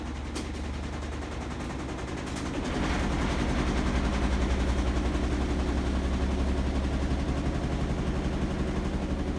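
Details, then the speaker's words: Samsung WF45R6100AW front-load washer on a WE402NW pedestal, 18 months old: deep drumming rumble with rapid rattling knocks, violent shaking in high-speed spin. A repairman found loose pedestal rivets as the cause; not fixed. A lower spin speed or balanced load reduces it. "The vibration can be mitigated by lowering the spin speed to 2. More balanced load also helps."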